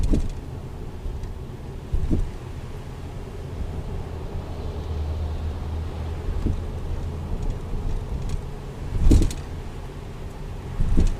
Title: 2011 Tribute clunking noise from rear